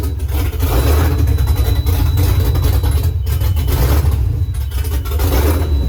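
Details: Swapped Gen 3 5.7 Hemi in a 1970 Challenger on a Holley Terminator X, at its first start with long-tube headers and Flowmaster mufflers: lumpy, uneven low idle. The idle screw still needs adjusting and a sensor is unplugged. Rough idle, possibly just the cam.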